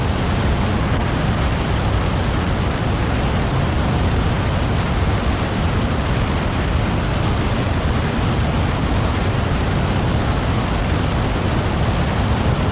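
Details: 2020 LADA Vesta SW Cross, 13,300 km, 1.8 engine, AMT robot gearbox, updated SAAZ front struts, highway around 100 km/h over rippled surface: steady deep road roar, no knocks or clunks from front struts; suspension healthy.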